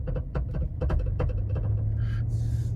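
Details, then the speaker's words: Car on a test drive over bumps, sound from the rear: dull thumps come in bursts over road rumble. The noise is at the rear strut or shock mount, which the tech installed probably about a year earlier; likely a warranty issue. "That is a noise on the rear strut or shock mount. And that's going to end up being a warranty issue because I put those in."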